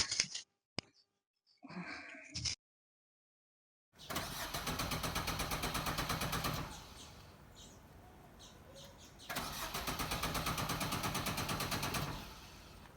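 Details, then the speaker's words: Car that won't start in cold or heat, water and wiring checked, on a very hot day: a few short starter bursts, then long steady cranking about three turns a second that never catches; cranks but won't start, cause unknown. "ਲਓ ਜੀ, ਇੱਕ ਤਾਂ ਗਰਮੀ ਬਹੁਤ ਜ਼ਿਆਦਾ ਤੇ ਇੱਕ ਜਿਹੜੀ ਹੈ ਗੱਡੀ ਉਹ ਆਪਣੀ ਸਟਾਰਟ ਨਹੀਂ ਹੋ ਰਹੀ।"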